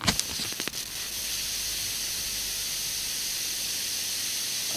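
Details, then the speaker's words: PAM8610 amplifier board on batteries driving 10 W Pioneer speakers: loud constant high hiss after switch-on with no signal, independent of volume; very noticeable noise floor at maximum volume, likely a board design issue (suspected, not confirmed). "With the maximum volume, so it definitely has a very noticeable noise level."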